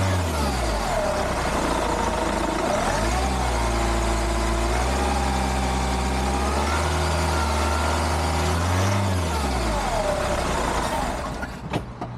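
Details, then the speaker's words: Hyundai iLoad D4CB diesel with reconditioned motor, after one year: three starts, revving from 1,000 to about 3,000 rpm, pitch climbing cleanly with no rattle or knock; sounds solid and healthy though blowing some black smoke. "it sounds good sounds like a motor should sounds uh powerful sounds uh solid I can't hear anything rattling too much or anything"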